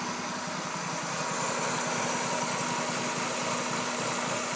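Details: 1996 Mazda Miata 1.8L petrol engine idling with an uneven, slightly lumpy beat over a steady hum; rough idle, cause not evident.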